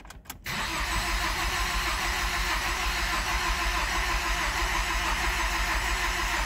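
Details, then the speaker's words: 2012-2018 Ford Focus 2.0L after fuel injector replacement and PCM adaptation reset: starter cranks steadily for several seconds but engine never fires; injectors no longer heard leaking; crank no start. "well she's not starting guys but I don't hear the injectors leaking anymore so that's one problem down"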